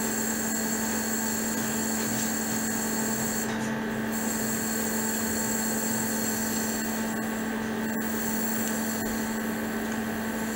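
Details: Cavitation on a heating element in a test system at about 103 kHz: a steady raspy hiss with a constant low hum and high whistling tones.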